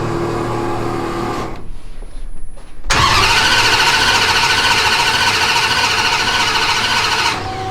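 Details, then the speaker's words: Dodge Durango (Death Week car) right after a new Hemi V8 engine swap, headers just refitted: short crank, catches cleanly, steady even run with no knocks or misses; starts, runs, good oil pressure; normal start and idle. "So that's the point we're in, just making sure it's good. Starts, runs, has good oil pressure. So we think we're good."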